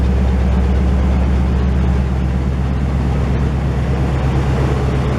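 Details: 1968 GMC truck running for the first time in 20 years: a loud, deep, even V8 idle with a steady low burble and no knocks or misses. The engine runs smoothly with only minor leaking.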